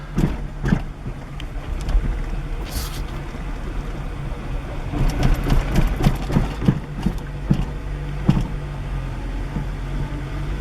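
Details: 1998 Acura Integra, manual, while driving: irregular hard clunks in bursts with bucking and lurching, worst when letting the clutch out and when turning; axle already replaced without fixing it, steering has play, owner suspects the rack, source unconfirmed.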